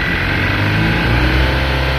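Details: Mahindra Maxximo diesel that had low pickup, would not exceed 30–40 km/h and logged DTC codes P0193 and P0118, here revving normally: a loud, steady drone holding pitch under throttle without stumble or misfire.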